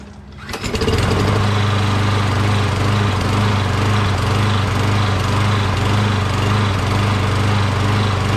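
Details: Poulan XT PXT12538 lawn tractor with 12.5HP Briggs SOHV engine, after adding fuel, likely auto choke: cranks briefly, fires within a second and settles into an even, steady single-cylinder drone with no misses or knocks; normal start and run.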